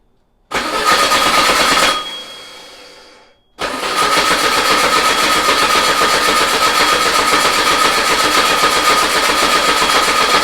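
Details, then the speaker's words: VW Beetle engine sitting two years, on a start stand with new control box, oil pressure good, carb bowl filled: starter churns about four turns a second with no firing at all; cranks but won't start. "Let's fire it. What the hell? Not even trying."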